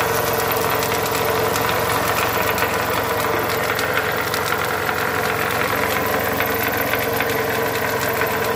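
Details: Toyota Camry 35 2.4 2AZ 16-valve at idle: steady metallic knocking through the whole idle, about three to four a second, from the balance shaft.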